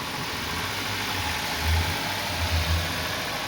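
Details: Gemini vehicle idling: rough, rising growl swelling and fading on and off with revs; alternator noise that comes intermittently, not continuously.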